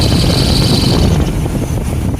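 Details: 1998 Chevy S10 4.3 Vortec running: steady high-pitched belt squeal over engine rumble, fading out; crank pulley, idler pulleys, belts, tensioner replaced, alternator new, bearings checked by stethoscope, harmonic balancer not separated; cause still unknown.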